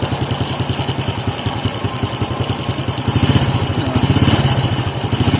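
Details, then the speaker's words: Honda XRM110 at idle before repair: rapid clattery metallic ticking over a steady single-cylinder idle, a chain rattle distinct from valve tick needing tune-up; worn timing chain rattle, chain set to be replaced. "So, yun po ang tatandaan yung tunog para di po kayo malito. Yung parang may lagatik na kumakalansing. Yan po yun."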